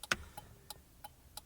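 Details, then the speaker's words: 1998 Honda Civic after turn signal switch and relay replacement: crisp, evenly spaced clicks at a steady quick pace; the flasher relay is working normally. "before you put the cover you better check your work first if it works or not and yep it's working"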